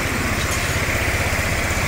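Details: 2017 Honda Beat ESP fuel-injected scooter idling after repair of total failure (no spark, dead fuel pump) traced to a black wire; kick-started due to weak battery. Quick, even putter at idle, no misses or knocks; healthy.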